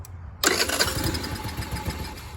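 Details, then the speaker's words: Free TaoTao 50 two-stroke scooter, carburetor drain line previously mixed up, restarted: catches and runs with a ragged, uneven burble and wandering speed instead of a clean idle; still running rough though improved. "I said, she ain't the best running thing on the planet, but definitely a lot better shape than when it first showed up here, I'll tell you that."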